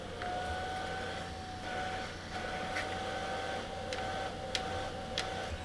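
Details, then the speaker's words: Elegoo Neptune 3 Pro 3D printer motherboard fan held near the mic. Thin steady whine that swells louder whenever it touches the metal plate; the fan's vibration resonates through the metal and is baffled by the housing. "just listen to different volume increase when this touches this metal so you can see a lot different so a lot of that is the resonating through this and a lot is because it's been baffled by this bit here"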